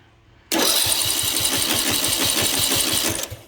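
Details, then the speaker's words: John Deere D110 lawn tractor, Briggs & Stratton engine, good battery, spark and fuel present, cranking during a compression test; starter spins the engine fast and perfectly evenly with no compression strokes and no firing: no compression, cause not yet found. "no compression let's pop this valve cover y'all think the engines blowed up"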